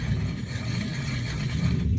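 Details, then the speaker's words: Worn A/C compressor clutch pulley bearing (part 35BD219DUK) on a car, pulley spun by hand after removal: low, rough gritty rumble with faint ratcheting chatter; it had caused a whining noise that kept getting louder. "so guys we were checking this and this thing was making this noise"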